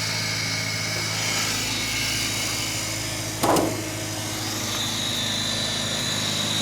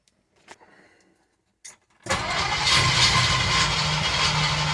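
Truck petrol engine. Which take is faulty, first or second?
second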